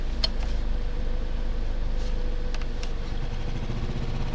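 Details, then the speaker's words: 2010 Toyota Corolla LE, blower previously replaced, rodent history: blower runs but shakes whole car and seat, heavy low droning hum with throbbing shake, rattle in door. "The blower is moving definitely, but it's kind of shaking the whole car. My seat, it's completely vibrating."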